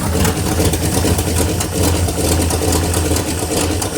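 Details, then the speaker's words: 1957 Chevy Bel Air 283 V8 idling with a deep rumble and light, uneven ticking from a loose exhaust manifold, not a loose connecting rod; after tightening underneath the knocking was gone. "just the exhaust manifold that's loose you hear it so much for your theory on the uh connecting rod being done"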